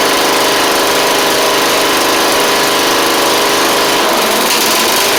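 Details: Troy-Bilt Pony mower after swapping its Powermore engine for a Briggs & Stratton flathead (new Briggs carburetor, 12.5hp air filter), run before pulleys refitted: steady, even buzzing run at constant speed, no misses, surges or knocks; normal running.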